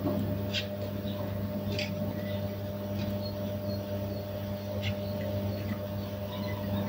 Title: Noisy ballast